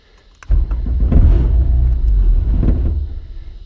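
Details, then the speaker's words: 12 kW Powertech diesel generator, Kubota V1505, in a bus, cold start after priming and glow plugs with no load; catches abruptly, settles into even low rumble, fan kicks in; healthy start, 120 V both legs. "she's a little cold so there it goes you hear the fan kick in which is good which means you know you're putting out power"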